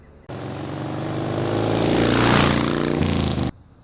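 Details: Jeep Dana 35 rear differential, camera strapped to the diff while driving down a driveway: rough rhythmic grinding growl rising and falling with road speed over drivetrain drone; failing diff, to be replaced with Ford 8.8.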